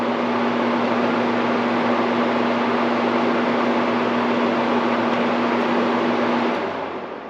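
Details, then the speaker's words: Window air conditioner after replacing dog-chewed power cord with upsized 20 A plug, running high fan and high cool: steady fan rush with constant low compressor hum, no rattles; normal running, air blowing cold. "We'll turn it on high. That's high fan. Turn on air condition high. Oh, yeah. You see the pump kicked on. for sure."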